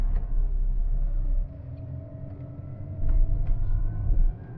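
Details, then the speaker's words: Great Wall Wingle (V240) camper van, Mitsubishi 2.4-litre petrol engine, pulling away with the aircon compressor engaged: coarse, slightly rough drone with rising tones; harshness attributed to the compressor, sounding much nicer with it off. "oh yeah I hear the compressor kick in that may affect performance and away we go there's a certain degree of harshness going on"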